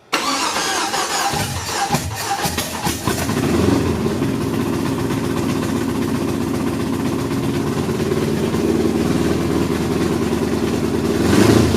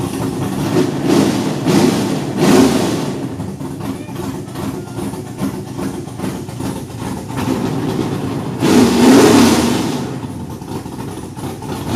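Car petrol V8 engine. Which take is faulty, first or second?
first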